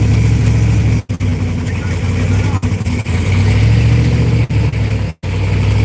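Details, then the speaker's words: Cadillac CTS-V first start on new engine: deep, lumpy note stumbling, dropping out and catching again; rough running, a vacuum issue is wondered about, cause not confirmed. "So what you think, man? Kind of making it run a little different, maybe."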